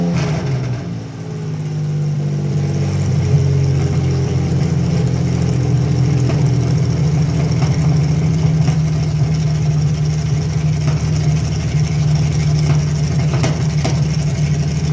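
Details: Carbureted Chevy Lumina 3100 V6 with a small vacuum leak: lumpy uneven idle with a recurring stumble, misfire traced to a faulty coil pack.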